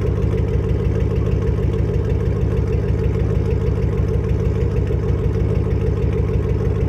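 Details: Ford Mustang GT 3-valve V8 with no mufflers, no cats and a Steeda X-pipe: loud, deep open-pipe idle burble with an uneven, lumpy beat and stumbles. Misfiring; owner suspects spark plugs or ignition coils.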